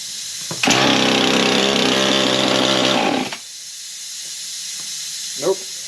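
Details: Husqvarna 55 chainsaw that never ran, after a carb kit was installed: it catches and runs under three seconds, then dies; fuel issue suspected.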